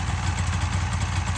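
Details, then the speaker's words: 1993 Polaris Indy XLT three-cylinder two-stroke snowmobile with bog and low idle, running rich. A lumpy, loping idle with uneven beats; pulling the third spark plug cap changes nothing, showing that cylinder is dead and the engine runs on two. "The engine is running exactly the same way without that third spark plug, which means this entire time it's been running on only two cylinders."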